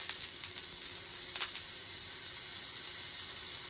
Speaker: So water in a system is not very good. And the easiest way to do it is what's called a crackle test.